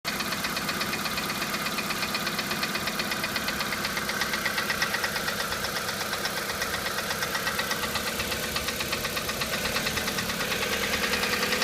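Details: Hyundai G4EE engine at idle with a steady metallic knock about two per second keeping pace with engine speed; internal engine knock.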